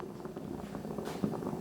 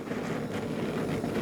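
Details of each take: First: New Blackstone griddle with 38,000 BTU Omnivore burners, popping since new even after swapping the hose, regulator and tank. A soft, steady burner roar with small irregular pops every few tenths of a second: burner popping, cause unknown. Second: Blackstone griddle, 60,000 BTU burners with large flames: even, steady gas roar with no popping or flutter, burner running clean, unlike the popping burners elsewhere.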